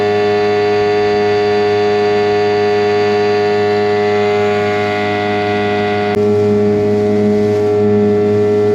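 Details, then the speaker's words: Restored 2003 Mercury 15 hp outboard on water after hours of running: steady, even droning tone at constant speed, smooth and unbroken; normal running. "okay guys so I've been out here for a couple hours this motor runs excellent"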